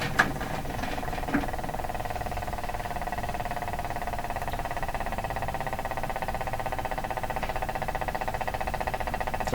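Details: Canadian Spartan 5542 tube radio, second power-up on a variac around 74–86 V with bulbs in series, after new speaker cable and power cord: steady rapid putt-putt like a helicopter from the speaker; motorboating oscillation, cause not yet found.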